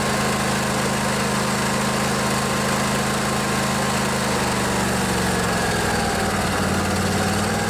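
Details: Craftsman DYS 4500 riding mower, 24 HP Briggs & Stratton Intek twin, after storage and a full service with the fuel tank cleaned and the carburetor refilled. Steady, even drone at constant speed with no misses, knocks or surging; running healthy.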